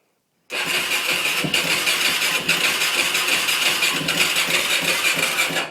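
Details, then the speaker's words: 2004 Yamaha YFZ 450 ATV that died after a ride stop; cranks about five seconds with weak, uneven catches, headlights flicker, never builds to idle even with choke pulled; needs throttle pumping to fire, ran poorly when pull-started. "that's what it does it I'll pull the choke just to try but it kind of starts to fire up you can see the headlights kind of flicker on but it never quite fires up"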